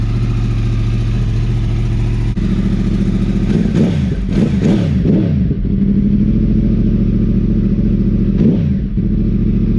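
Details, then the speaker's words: Yamaha R1 crossplane inline-four after repairs: a steady, even idle with crisp, clean blips and no knocks or ticks; normal idle and revs. "just can't beat that sound to me in my eyes it it has like the classic sound of what the Ducatis the original 996 series Ducati sound like"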